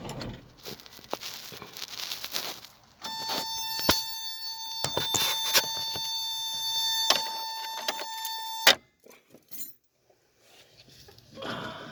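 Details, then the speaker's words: 1986 Toyota 4Runner, second used rear power window control module plugged in, key on, window run from the rocker switch, all factory safety interlocks in place: sharp relay clicks, steady window motor whine for several seconds, then a stopping click; working normally. "Now we're going to plug in the other relay. And we'll operate that one in the same fashion. Again, you can hear the relays click."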